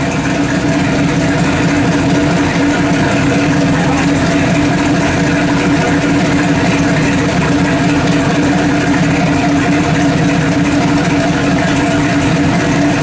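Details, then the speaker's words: Freshly built 406 V8 in an S10 on first fire-up, at about 150 degrees: a steady, somewhat lumpy idle drone with no clear knocks. It runs rich; the owner expects to redo the idle mixture. "it's a little rich yeah it's a lot rich this can like i said yeah i'm probably gonna have to redo the whole thing i don't know the mixture and the idle and all that stuff"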